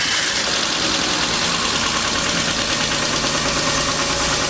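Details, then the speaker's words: BMW 328i E36 inline-six, bought cheap with suspected blown head gasket and coolant leak near head, first start: light fast ticking about three per second over steady idle, no white smoke; owner suspects needs an oil change. "i don't see any smoke coming out see any white smoke can't gasket but other than a little tick tick which probably needs to oil change or something"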